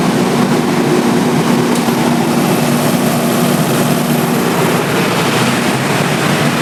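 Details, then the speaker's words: Generator on a three-phase auto panel running normally on auto start after mains supply was cut, following a protection-mode beeping problem: steady, even diesel drone with constant hum, no knocks or hunting. "तो line देने के बाद में हमारा हमारा main line से भी जो है चलता है और जनरेटर से भी हमारा ओके है तो कोई दिक्कत नहीं है।"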